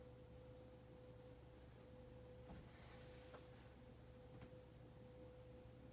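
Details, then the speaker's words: Hunter Mayfair ceiling fan from February 1988, barely used: almost silent running with only a faint steady low hum and no rumble, ticking or scraping. Bearings healthy. "this thing is dead silent too the bearings make absolutely no noise"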